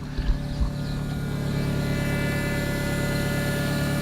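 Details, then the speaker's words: 1990 Honda Civic ED, D16 swap converted to EFI, running after 4 years sitting: steady low drone with constant thin whine from the external fuel pump with surge tank; normal pump sound. "so the fuel tank clean swap then it's got a surge tank an external pump to make it work so that's what that sound was that you were hearing before"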